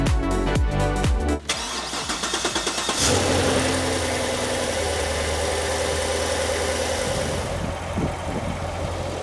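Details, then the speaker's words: 2014 Corvette C7 petrol V8 after repairing a ticking noise (no OBD faults, mechanical cause): starts and settles into a smooth even idle, ticking gone, normal engine sound. "As you can hear now, the tickling noise has been gone and the car is ready to go, and we cannot hear any sounds, only we can hear the engine sound. This is the proper sound."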